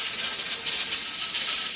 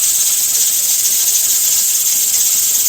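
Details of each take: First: Pressure canner on steam, set for a 90-minute processing time: a fast, hissy rattle as the weighted regulator jiggles a couple of times a minute. This is normal at operating pressure. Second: Pressure canner with two 5-lb weights on its regulator venting constantly because of excessive stove heat: loud steady steam hiss and rattle as the burner is turned down to a low setting.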